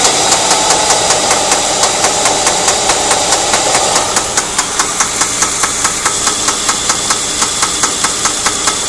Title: ST220 Engine Knocking